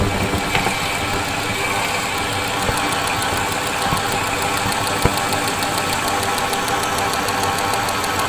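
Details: 2000 Ford F-250 SD 5.4 L (330 CI) at idle, microphone in a PEX-pipe stethoscope touching one fuel injector: quick, even ticking over the idle hum, matching the other injectors. The truck has an intermittent rough idle and a miss, but this injector is working.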